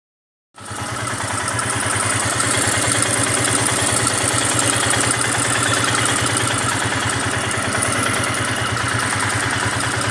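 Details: Royal Enfield Himalayan single-cylinder idling: fast, even ticking about three per second from the cylinder head assembly; tappet noise, later fixed at a service station.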